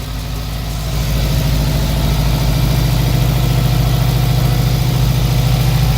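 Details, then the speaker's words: Subaru WRX JDM swap engine, first start after oil and fuel priming and coolant fill: deep, even idle settling within a second, smooth steady pulse, no knocks or ticks; healthy engine. "oh yeah that sounds nice"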